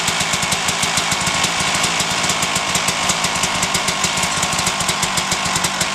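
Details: 1997 Suzuki RM250 two-stroke running on choke after repairing dented header pipe: crisp rapid firing, steady and even with bright exhaust crackle; engine running cleanly and healthy.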